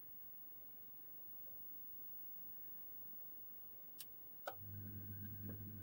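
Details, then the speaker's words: Home boiler zone valve control motor powered on: near silence, a couple of clicks, then a low steady hum as it slowly drives the valve fully open; working normally, slow travel apparently normal. "Right, that has opened it all the way up. So it does look like it's working. It's also going slowly as well, so maybe they do go slow."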